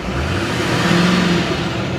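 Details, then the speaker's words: Salvage four-wheel-drive truck with front-end damage, listed start-no-drive and on a low battery: it fired right up on a regular exhaust, and a blip climbs cleanly with the turbo audibly spooling, no misfire or rattle. "can hear that turbo spool up though so sounds good"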